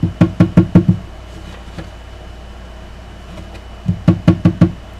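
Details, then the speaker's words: New Martin D-28 acoustic guitar with pickup preamp: two bursts of taps on the body, each thump followed by a short buzzy rattle that seemed to come from the sound hole; loose preamp volume control rattling, to be remounted. "he said sound like it's coming from a sound hole hear that the volume control for the preamp rattling so we're going to remount it"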